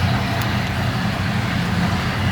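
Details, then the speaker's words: 1957 Ford Ranchero with 302 V8 and automatic transmission, recorded from the front at idle: deep, even rumble with a steady beat and no misses or knocks. Driven the last 4–5 summers, radiator and water pump done; smooth, healthy normal idle. "Come around to the front too, you can hear how smooth this thing runs. Or you can't hear how smooth it runs, maybe is the words to use."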